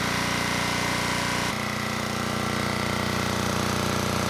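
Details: Generac XD5000e generator, Yanmar L100 diesel, restarted after bleeding air from fuel system to warm before oil change: catches and settles into even regular chug about 200 beats a minute, no stumbling; healthy idle.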